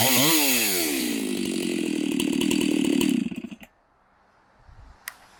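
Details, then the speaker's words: Chainsaw with a mild port job, test cuts after bench repair: strong steady high scream holding pitch through the cut, then dropping cleanly to quiet; saw pulls well and runs right, may need fine tuning or less aggressive chain. "but i am so stoked right now this saw is probably the best running saw that i have it's got a seems like a little mild port job on it"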